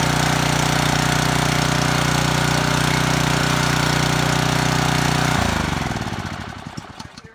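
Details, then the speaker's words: Ryobi pressure washer small single-cylinder engine started on choke: runs steady at about three beats a second, kill switch fails to stop it, choked down to coast to a stop; engine will not shut off with stop switch. "all right so the switch doesn't work great the switch doesn't shut off I had to choke it okay so it runs so it's got another issue with the with that okay"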